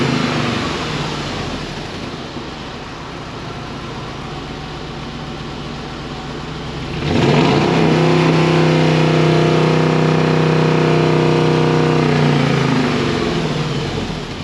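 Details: 2005 Dodge Ram 1500 4x4 Hemi swap with new glasspack replacing the blown muffler, recorded from under the truck near the tailpipe; deep even V8 idle, smooth rev up and down, throaty slightly raspy exhaust; nothing abnormal.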